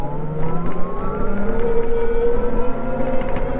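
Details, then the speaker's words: Oben Rorr EZ electric motorcycle, belt drive, riding at night: smooth electric hum and soft whine rising gently in pitch as it speeds up; normal belt drive and motor sound. "And మీకు sound వినిపిస్తుంది కదా ఇది belt drive సంబంధించిన sound అన్నమాట ఆ belt motor sound అయితే ఇలా వస్తుంది మీకు"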